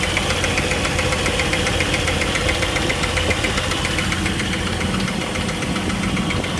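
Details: 2000 Jeep Wrangler TJ 4.0 inline-six after overheating and losing all coolant: steady light ticking at a couple of beats per second over a rough idle; loudest under the engine and at the water pump, cause unknown.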